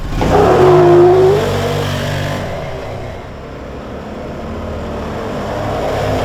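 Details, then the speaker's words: 2016 Can-Am Defender HD10 XT, abandoned in the desert for about five years, running on old gas: the V-twin revs up cleanly under load and eases off smoothly with no stumble; normal engine under acceleration. "this thing runs surprisingly good super crisp pretty fast it's really peppy it feels really good even with this old gas in it it's running really nice"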